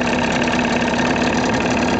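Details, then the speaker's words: 1983 Johnson 25 HP outboard on a 1973 SmokerCraft, first run after being choked slightly: smooth, even idle with a steady mid-pitched drone, no knocks or misses, pumping water well; running cleanly. "so check it out here we go running pretty smooth looking good pumping water real"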